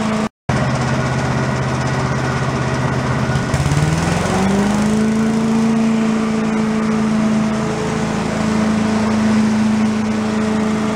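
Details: Commercial walk-behind leaf blower, repaired after carburetor problems, set on the ground for an extended run to check smoke: buzzy two-stroke note climbs near four seconds, then holds steady and even; normal running.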